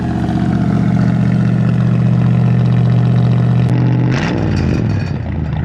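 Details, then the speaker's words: Ford E250 van V8 with a rebuilt engine and a new carburetor, started a couple of days earlier; a steady, even low idle with no misfires before the note changes and fades. Normal idle. "the engine is in perfect condition we don't have to do anything to the engine but just take a listen not a single misfire"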